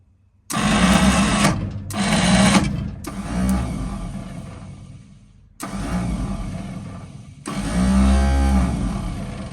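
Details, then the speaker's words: 1948 Ford F-5 flathead V8 truck, sat about 50 years, diesel in oil pan, first start: ragged uneven firing bursts that stall and restart and need more throttle; still low on compression, rough running, expected to improve once warm. "okay we need a little bit more throttle cuz she seems to still be low on compression"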